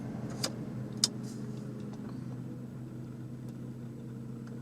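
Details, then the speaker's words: Toyota Camry after battery disconnect and idle relearn, stopped after a drive, AC turned on: quiet smooth idle, steady low hum, a couple of faint early clicks; rough idle fixed, runs like new. "just like new and that's how you fix an idle problem after you've disconnected or removed and replaced your battery"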